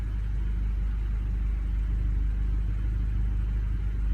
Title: Misfires Golf R20